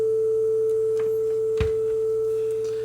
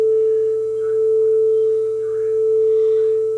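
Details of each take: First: Nakamichi DR3 cassette deck, repaired after a no-playback fault, playing a calibration tape: clean steady test tone around 440, slightly sharp. The tape runs a bit fast; speed is trimmed via a hole on the back of the motor. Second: Playback of a 440 Hz test tone recorded on a calibrated deck, played on a Nakamichi DR3 under repair for no playback and shutting down, compared with a guitar tuner: a steady pure tone beating slowly, under once a second, so tape speed is correct.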